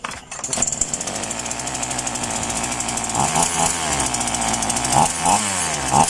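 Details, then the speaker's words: Polo PL-115i small two-stroke chainsaw with two-ring piston, after carburetor tuning: steady crisp high-pitched buzz with a few clean throttle blips; runs even and strong, normal running. "แต่ว่าฟังเสียงมันก็แฮงดีอยู่ครับเนาะเพราะว่ามันเป็นส่องแวนั่นเองครับ"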